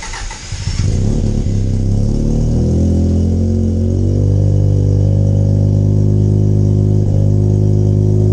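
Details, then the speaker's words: 13B rotary in a Factory Five 818 after freeing stuck apex seals: all plugs firing, some compression back in the front rotor; ECU idle feedback maxed at 50% but idling fine and warming steadily. Steady, even low burble, no misses or knocks; normal idle. "However, it was idling fine. It was coming up to temperature nice and easy."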